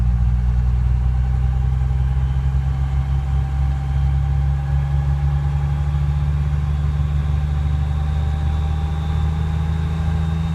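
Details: Cummins diesel truck idling with an intermittent tick that comes and goes every few seconds before shutdown; owner unsure of the cause.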